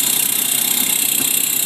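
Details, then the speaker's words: 1973 Toyota FJ40 Land Cruiser 1F engine, first run, idling about 10 minutes with new starter, plug wires, plug and coil: fast light ticking over steady idle from failing alternator needing replacement; some popping back, needs tune-up. "brand new starter that noise you hear is my alternator over there ticking away"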